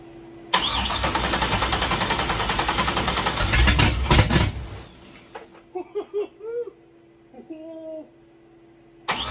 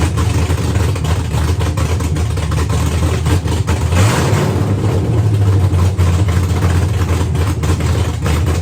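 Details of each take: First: Engine first start after disabling GM VATS anti-theft via a tune, no radiator fitted, starting jerry-rigged without a key: catches at once, runs rough about four seconds with a surge, then stalls; possibly the immobilizer cutting the engine. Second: Custom V8 build at first start after rewriting the ECU program to remove the vehicle anti-theft system; run briefly indoors with no coolant, smoking heavily; deep, even rumble with clean rev rise and fall, no knocks or misses; normal running and revving.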